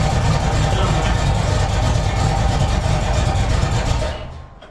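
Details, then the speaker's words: 1981 Corvette V8, after a shot of gas and a slight timing adjustment: an uneven, lumpy run with a loose rattle, then it dies. It is running rough; the owner suspects timing slightly off and too much fuel. "At least she's doing this. think we're off a little bit. Getting too much fuel."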